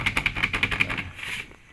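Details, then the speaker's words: Mitsubishi L300 van sliding door/window over bumpy road: quick sharp rattling knocks because the side and top weatherstrip is gone, fixed by fitting new double weatherstrip; sliding door rattle. "Ganito talaga yung tunog oh yan ganyan na ganyan talaga yung tunog masyadong maingay"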